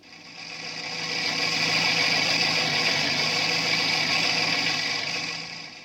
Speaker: a warm timing chain now listen to it again and try to pick out that characteristic rattle